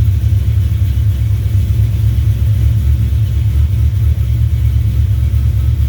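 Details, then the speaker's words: 1970 Duster 340 V8, started a little cold after new pushrods and intake gaskets replaced short pushrods that had caused ticking or knocking. Deep, even rumble at a steady idle with a quiet valvetrain and no tapping; normal idle. "All right, no knocking, ticking, whatever. Keep calling it knocking. No ticking, so not gonna take it for a ride."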